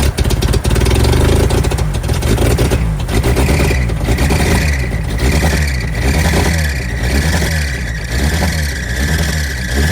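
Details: 1988 Suzuki Samurai parked since the late 1990s: engine cranks, catches and runs on its own, then is blipped several times and picks up cleanly.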